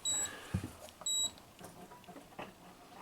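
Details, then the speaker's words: Coronado motorhome refrigerator with replacement control board, on propane: igniter clicks but no flame; two short high beeps about a second apart, display reading "no FL" (no flame) fault. "But when it beeps, it says there's a problem. It says no FL. Does that mean no flame? Right"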